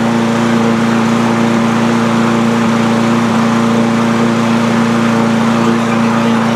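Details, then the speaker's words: Cub Cadet push mower, Powermore single-cylinder engine, which popped and wouldn't stay running; after valve train repair and bending the governor spring tab to restore engine speed, a steady buzzing drone at constant speed with no pops, still smoking a bit. "Well, this thing's running pretty good now. Uh, still smoking a bit, but I'll put it outside."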